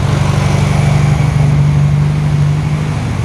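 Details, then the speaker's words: 1968 VW Karmann Ghia with new 1600cc engine after cam break-in, lowered idle: smooth, even low idle with a steady beat, no squeaks or rattles; sounds healthy. "anti-climactic but she kicks off and she runs no weird squeaks no weird rattles"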